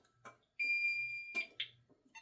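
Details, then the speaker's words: Safe House 49-485 alarm panel siren test while holding the delay button: steady high-pitched siren tone about a second then clicks, burglary and fire zone sounders alternating about every second; sounder working normally. "and they test alternating about every second. So, the burglary burglary zone sounds and then the fire zone sounds and they just keep alternating as long as you hold that delay button in."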